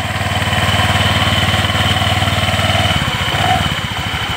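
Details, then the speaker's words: Honda Vario 125 idling after CVT repair: the very loose drive belt was refitted and the pulleys are now tight; smooth even idle pulsing about four times a second with no clatter from the belt case, normal. "Halus juga. Enggak ada bunyi klatak-klatakaran."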